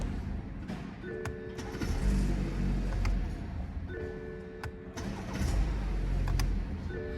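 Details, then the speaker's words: BMW F30 330e hybrid after replacing the aged 12V starter battery and erasing fault codes: short crank, catches and settles into an even run with dash chimes, a clean, healthy start. "It's working, isn't it? No fault codes. Engine started beautifully."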